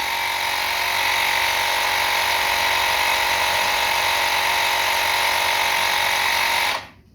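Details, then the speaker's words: Lokithor JP400 jump starter's built-in air compressor runs about 8 minutes, steady high buzzing drone for seven seconds then cuts out abruptly with temperature indicator on: thermal overload shutoff, left to cool. "minutes and it shut off and with the temperature mark on on it so I'm going to let it cool down"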